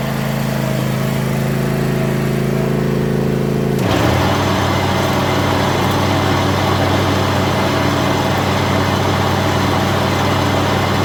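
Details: John Deere zero-turn mower, commercially used, with old blades refitted: engine hum turns to a steady whoosh as blades engage with no periodic clunk, showing the intermittent noise was a blade problem, not spindle.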